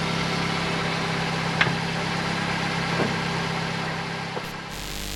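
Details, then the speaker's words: 2008 Vauxhall/Opel Corsa 1.2 petrol after replacing the exhaust middle section to the catalytic converter, with the lambda sensor refitted. Steady, even idle hum with no blowing or rasping, exhaust sealed; much quieter, normal idle. "there we go. The car's much quieter. We changed the exhaust and it's all working great."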